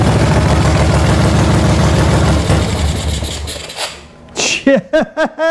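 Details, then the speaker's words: 1975 Moto Guzzi 850T twin, first start after sitting over 10 years, following a carb clean and with two-stroke oil in the fuel, on a makeshift jumper wire: it catches and lopes along at a steady, slightly uneven idle before being shut off; it runs. Oil not yet checked. "don't want to run it too long so I haven't checked the oil or anything but it's alive"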